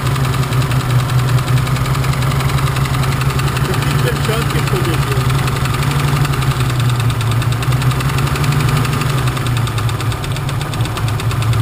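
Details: BMW at idle, cylinders being disabled one at a time to find the knocking one: dull regular knock running through it at engine speed, source not yet pinned down.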